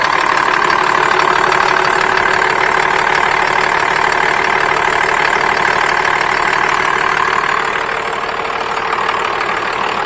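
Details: 12-valve Cummins diesel Dodge truck with P-pump inline injection pump, intercooler: even diesel clatter settling into a steady idle, no misses or odd knocks; normal idle.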